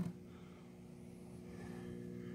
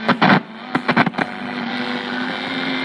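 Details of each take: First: Air Castle vintage vacuum-tube radio warming up after power-on, tubes lighting: steady low even mains hum with no crackle or buzz; normal warm-up hum, healthy set. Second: 1930s Air Castle radio with homemade antenna: hiss with faint stations fading in and out and sharp crackles; reception improves with a hand on the antenna and disappears without it; weak reception.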